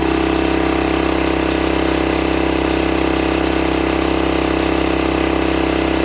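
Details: 1968 Sears Suburban 12 single-cylinder diesel, first run after new intake and exhaust and fixing an air-sucking fuel line leak: harsh chug about 140 beats a minute, very loud; unsilenced intake and open exhaust.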